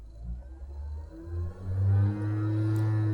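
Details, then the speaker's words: Cheap 500W air-cooled CNC spindle on mains power with speed regulation, mounted in a CNC with a 6 mm end mill, running unloaded in a speed test. A rising whine swells into a loud droning hum as it hits mid-speed resonances, which ease at maximum speed. "here we're hitting some resonances [Music] now that sounds pretty bad"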